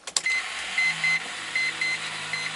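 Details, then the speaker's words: 1993 Mazda RX-7 FD3S rotary, hard starting for months, no start last time, 72°F: key on, high thin electric buzz in short steady pulses with engine off; normal fuel pump priming, fuel pressure near 60, but volts low at 11. "can hear the fuel pump and let's take a look at some of the gauges as well so as you can see the fuel pressure is very close to 60 which is which is where it should be"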